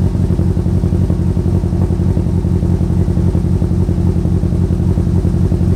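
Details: Mitsubishi Evo built to 700 hp, first start after rebuild with coolant freshly vacuum-filled: deep, loping idle with an uneven thump about four times a second, like one cylinder is dead; an unplugged injector causing a misfire.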